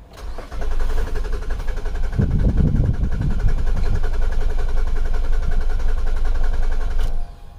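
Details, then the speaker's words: 2008 Nissan Quest 3.5L, sat a couple of weeks, codes U1000 and P0726: starter cranks steadily about five seconds but never catches; crank no start because tank was out of fuel though the gauge showed gas. "so this thing was out of gas we seriously out of gas"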